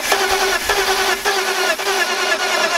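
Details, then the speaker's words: BMW E46 after new battery and new spark plugs: starter churns steadily about twice a second but the engine never fires. Cranks, no start; a cut intake hose was later found. "as you guys could see I couldn't get the car started unfortunat"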